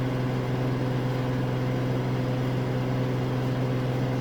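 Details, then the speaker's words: Samsung AddWash front-load washer at a rental house, spin at about 1250 RPM ramping toward 1300 RPM; low even hum at steady pitch, surprisingly quiet, no knocking or scraping, normal high-speed spin. "I do believe we're at 1250 RPM. Surprisingly, it sounds pretty quiet."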